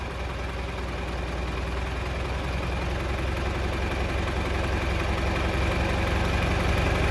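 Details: Mid-1960s John Deere 3020 diesel tractor, about 477 hours, first start after sitting five years: an even, low chug at steady idle that firms up as it warms, with no knocks or misses. It is idling normally.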